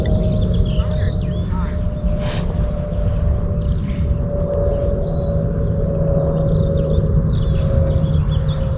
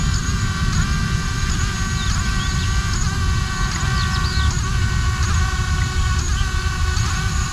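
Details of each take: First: ArduCopter 6-inch race quadcopter during roll autotune, roll angle P gain oscillating: steady buzzing, vibrating hum riding over the rotor roar; frame resonance, addressed with the second harmonic notch filter. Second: ArduCopter 6-inch race quad running pitch autotune in rising wind, after the second harmonic notch was set: even motor whine over wind rumble with quick pitch blips each second, no droning buzz; the frame resonance is gone.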